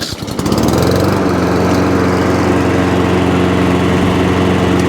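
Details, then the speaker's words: Lawnmower just after cable repair, briefly run. The small engine runs with an uneven, lumpy beat and wavering note instead of a clean idle; it likely needs carburetor work and idle adjustment. "it does throttle down we may just have to adjust adjust that but hear that noise and might want a bit carburetor work mate"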